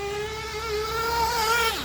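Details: Gimar P5 nitro engine, broken in, in a Hyper 7 buggy, fully warmed with a head heater: a clean high-pitched note winds smoothly up and drops off with no stumble or bog, still plenty of smoke; running safely rich, not lean.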